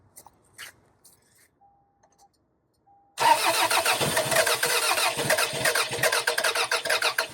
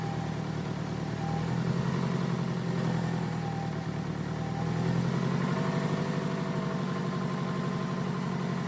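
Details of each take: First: 2002 Toyota Camry, sat over 5 years, coil pack wiring harness found cut, cranking with starting fluid: even chug about three times a second, never catches; crank sensor signal present, no spark from cut coil wiring. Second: 2002 Toyota Camry that sat for over 5 years after shutting off while driving; the coil pack wiring harness was found cut and has been repaired. Steady, low, even idle with no misses, knocks or rattles. Engine running smoothly.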